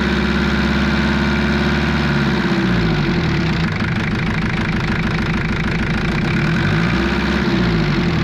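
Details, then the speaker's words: Jeep XJ 2.5 turbo diesel after swapping in a fully mechanical 11mm-plunger injection pump (from 10mm), just indexed: even clatter at a fast raised idle hunting slightly in pitch; idle too high, fuel screw needs winding back. "with the fuel screw now, and you'll hear that it's idling a bit high. Now I think I've indexed it properly, so I need to wind back the fuel screw."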